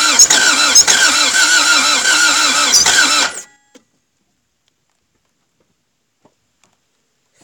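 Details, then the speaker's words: Toyota MR2 AW11 after cleaning injectors and distributor, rotor timing questioned: starter cranks steadily with occasional uneven catches, never runs; cranks, no start, owner thinks engine is smoked rather than timing. "timing I don't think it's timing man I think this engine is just smoked"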